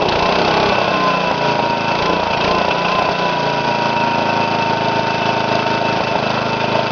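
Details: Briggs & Stratton mower engine on first run after new piston rings and gaskets, governor readjusted after it ran too fast: loud, steady drone holding even speed without surging or hunting; governor holds it running smoothly.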